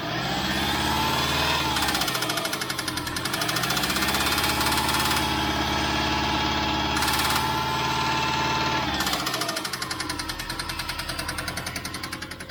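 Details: 2004 Subaru WRX, 153k miles, total-loss title: sharp regular knocking about three to four per second over the running engine, rising with revs; sounds like rod knock, suspected not confirmed.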